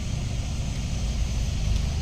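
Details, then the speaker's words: Hyundai Tucson with aircon running after the blend door actuator is refitted: only a steady low engine rumble, with no tapping from behind the dash at ignition-on or start. The dashboard knock is gone and the actuator is quiet. "Tahimik na mga boss. Mga boss. Goods na ah. Wala ng ingay."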